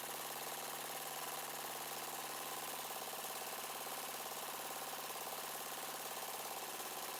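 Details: Yard-sale Murray 42" Wide Body mower engine, choke now closing after a broken plastic nub hitting the air cleaner box was found. Idle speed set near stall and mixture screw turned in until rough. Fast, fairly even idle with slight unsteadiness; idle during mixture adjustment.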